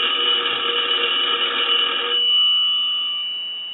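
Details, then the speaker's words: Automatic Electric 3-slot payphone on final check after repair and conversion: bright fast metallic bell trill, about four strikes a second, rings cleanly then decays; ringer working properly. "but we want to go ahead and start our final check so we'll ring the"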